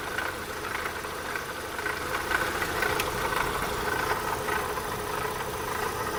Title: Opel Astra 1.6 16V (X16XEL) rattling noise / Klappern